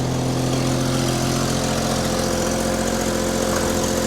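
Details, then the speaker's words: Willys Jeep, cold engine idled up with choke held by hand (choke cable faulty): steady low idle with slightly uneven, lumpy beat and occasional stumble; wouldn't idle until warm, owner says it runs well once warm. "it's stumbling right now so you can hear it running it's idled up a little bit it's been some damn cold didn't want to idle until it got warm"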